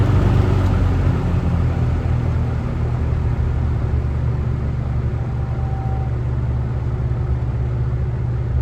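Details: Kmart box fan, startup on low speed: steady low hum, even smooth run with no rattle or scrape as motor comes up to speed; normal startup.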